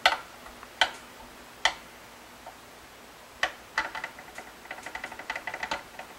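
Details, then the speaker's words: 2021 Blueberry Epiphone 335 with tuning/intonation complaints and high action: sharp uneven clicks of a fret rocker tipping over high frets around the 13th–15th on the treble side; genuine, not exaggerated. "right here i hope you can hear that i'm not exaggerating that for effect"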